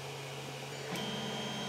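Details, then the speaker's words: Stock Creality CR-10 3D printer printing, shotgun mic nearby: loud steady hum with high whine and fan hiss, louder at higher speed; stepper motor vibration transmitted through frame and floor, before dampeners and fan swap. "and how when I have the printer sitting on the floor you can hear it even two stories up in the same building as it travels through the walls and it just is annoying as all hell"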